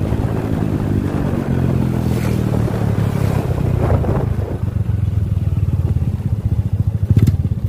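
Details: Honda Supra Fit motorcycle stalls when the throttle is released after revving but restarts after one or two kicks. Off throttle the revs sag and the noisy aftermarket exhaust goes from a full, round note to a slow, uneven chuffing. No rough or rattling noise from the front of the engine. Cause not yet pinned down.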